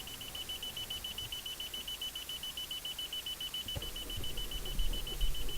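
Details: Car won't start, only about five days in; steady high beep pulsing a little over twice a second, then faint clicks and rustle; no-start with warning beeps, cause unclear.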